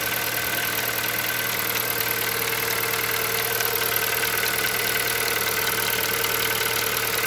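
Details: Hyundai Solaris 1.6 engine knocking on a cold start at idle: a dull, somewhat uneven knock about three per second under a hissy top end; cause unknown.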